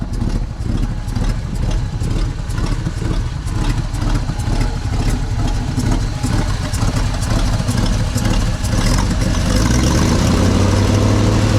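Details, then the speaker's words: 1964 Chevy C60 grain truck, 327 V8, idling after restart on a possibly different tank; sharp, fairly even puffing tick about twice a second over the rumble, owner suspects an exhaust leak, not vacuum. "it sounds like it's got an exhaust leak over here is this vacuum no that's not vacuum"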